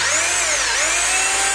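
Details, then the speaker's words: 26mm hammer drill after repair of a no-hammering fault: high, steady motor whine with slight pitch wobble under the bit, smooth with no grinding or stalling. Hammering now works properly. "यहाँ हथौड़ा मारना और हथौड़ा भी बिल्कुल ठीक। हो रहा है।"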